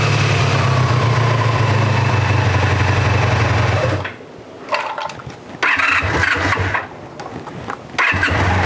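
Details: 1984 Honda VF500F Interceptor four-cylinder after carburetor rebuild, on choke just after starting, carburetors dry: even idle at a steady pulse of about four per second for several seconds, then quieter; smooth and healthy.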